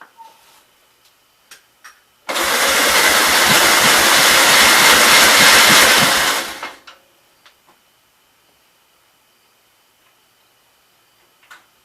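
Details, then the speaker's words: 1944 L, free project, cranked on electric start cart with gasoline poured into the intake: four seconds of cranking with a few uneven catches that never take; spark lost as spark tester grounded against cylinder head. "So it tried to fire there with some fuel."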